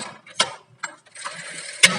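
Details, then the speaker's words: Hero Splendor Plus with upgraded wider tyre: sharp dry "tak" when rear drum brake is applied with the wheel turned backward, caused by a rear brake rod bent too far forward and weakened; fix is rebending it. "तो ऐसे वो प्रॉब्लम करती है, टक की आवाज़ आती है।"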